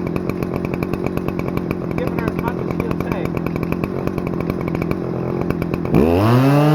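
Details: Stihl FS-250R 40cc two-stroke trimmer after a carb rebuild kit replaced the hardened diaphragm, on 50:1 ethanol-free mix: high, even full-throttle buzz with steady firing, then revs fall away cleanly; revs pretty high, runs great after the repair.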